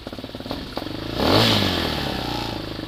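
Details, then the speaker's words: Hawk 250 motorcycle, cold start on a 60-degree day, moved from half choke to choke off: an uneven low idle with a sudden stumble and cough, then it stalls. Cold misfire that largely goes away once warm. "idles a little low and they're stalled out but anyway you got to hear that coughed that I was talking about where it just misses a little bit and as it warms up that'll go away almost completely"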